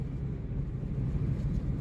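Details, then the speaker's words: 2009 Jeep Compass front-wheel drive, complaint of whining, roaring and growling while driving, test drive under 20 mph: steady deep low roar, no clicking or grinding; CVT transmission versus hub bearings being tested, failing CVT transaxle indicated. "Oh man, do y'all hear that? Now, think about this type noise, guys. You can suspect this is a little front wheel drive Jeep Compass, likely w"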